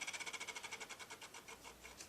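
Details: B&O Beocenter 2200 powered up, turntable tested without a cartridge: fast, even light ticking whir at a steady rate that fades slightly; platter turns and motor runs normally.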